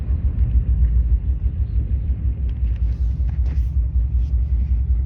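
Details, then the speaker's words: 2002 Subaru Legacy, 130k miles, rough idle: deep, lumpy rumble pulsing irregularly, under two beats a second, while driving; engine runs rough, misfiring on one cylinder. "Oh, this car sounds so bad. Everyone's looking at [Music] me. It's just the cylinder, guys."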